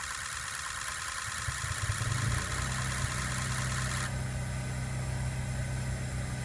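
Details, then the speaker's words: 2003 Ford 6.0 Powerstroke about a month after Rev-X treatment, cold starts improved: crisp regular injector pre-clatter about four ticks a second with no misses; normal, stiction relieved. "that's the noise the sound injector pre- clatter it's been about a month"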